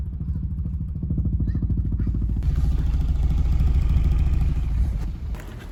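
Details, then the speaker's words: Volkswagen Jetta 6 at 80,000 km, cold start: deep bass-like throb with a low knock about three times a second and vibration across the rear, gone after driving off; owner suspects exhaust pipe. "я сразу Почувствовал как идет какая-то вибрация причем из области багажника что мне показалось странно"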